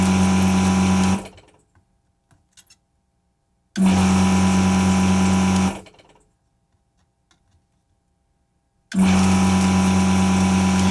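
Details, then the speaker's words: Desoldering vacuum pump on a variable-speed drive, used while removing parts from a CNC power supply board: three steady hums about two seconds each cut in and out cleanly with no sag, lots of suction; normal running. "You'll also notice that it doesn't bog down at all when I'm using it. You can hear it's pretty constant. Lots of suction."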